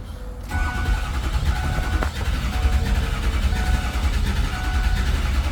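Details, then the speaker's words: Non-running 2006 Ford F350 6.0 Powerstroke diesel 4x4 with new batteries. Starter drones steadily with an uneven slow churn and never fires: crank, no start. Slow to build low oil pressure; high-pressure oil system, injectors or oil pump suspected. "I mean, if it's been sitting a while, it takes a minute, but this is kind of a long time to build up low pressure, you know?"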